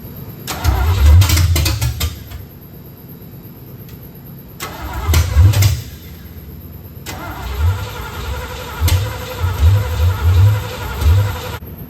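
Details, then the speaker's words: 1972 Corvette small-block V8, first start after rebuild: repeated cranking bursts catch a few uneven firings but never settle into a run; ignition timing is off and the distributor is snug but not tight. "What I did, as you saw in the last portion of the video, the ignition timing is off a little"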